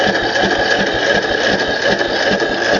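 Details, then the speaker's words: 2008 Craftsman YS4500 lawn tractor after valve adjustment, oil smelling of gas: steady, even cranking with soft pulses about two per second and no firing; turns better than before but won't start, needs fuel, cause not confirmed. "Well, it's turning better than what it was, right? >> Mhm. >> Now, we just need to get some gas down in there."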